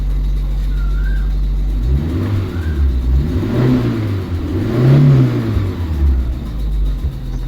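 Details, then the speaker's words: Maruti Suzuki Eeco after gearbox repair, with clutch plate, pressure plate and bearing replaced to cure a grinding noise when the clutch was pressed. Now a steady idle and smooth revs with the clutch pressed, no grinding: normal idle. "य जो clutch दबाने प आवाज आ रही थी अभी आवाज नहीं आ देख सकते हो आप सुन भी सकते"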